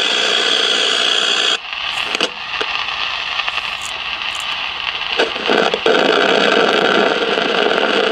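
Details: 1956 CBS 5-tube AM clock radio, not tuning stations, heard through signal tracer: loud harsh hiss and crackle surging unevenly, feeding back through the whole set; suspected silver mica disease in the IF transformers.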